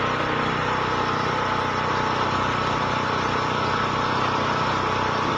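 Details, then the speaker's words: DuroStar DS4000S portable gas generator (7 hp air-cooled OHV engine, recoil start, 10W30 oil) running after start-up: a steady, even drone with an unchanging beat and no knocks or misses. Running normally. "I'm going to start it up and let you listen to it run for just a little bit, just to know that it does run."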